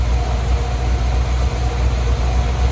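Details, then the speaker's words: 1983 Dodge Prospector with freshly swapped V8, warm with thermostat open, water pump still leaking: smooth even low rumble with steady beat, no knocks or misses; normal idle. "Look at that. Oh yeah, thermostat open. Everything seems alright."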